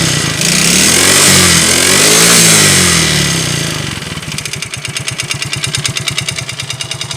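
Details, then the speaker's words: Yamaha Mio GT FI scooter that once ran almost dry of oil; rev flares then a rough idle with sharp metallic tapping about three per second, engine knock from oil starvation, to be dismantled. "ini dulu pernah kehabisan oli ya pernah habis oli sampai tinggal seperempat gelas gelas minum yang kecil ya tinggal seperempat ini muncul suara ininya ketika udah lama jadi muncul juara seperti ini suara pukulan ya"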